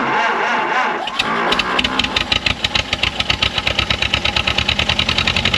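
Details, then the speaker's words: 1929 Ford Model A Doodlebug, radiator fitted, about to drive: after a rough start it races at full throttle with fast hard regular beats, won't come down; owner wonders if timing slipped, cause unconfirmed. "wo that's it full throttle no no that's bad"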